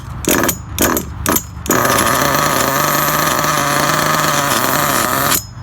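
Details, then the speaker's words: Losi 8ight RTR nitro truggy with idle turned up to compensate for broken clutch spring: sharp revving blips then steady high buzz with metallic sound as clutch engages; spring weak or broken — clutch engagement noise from broken clutch spring. "Can you hear that metal sound? That's a clutch engaging."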